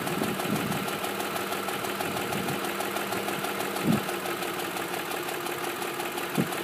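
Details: 2005 Ford F-150 SuperCrew 4x4 5.4L V8 at 126k miles, idling; light fast top-end tick keeping pace with engine, persisting since 88k despite all cams replaced; burns a quart of oil per 4k, no power loss; owner suspects cam phasers, unconfirmed.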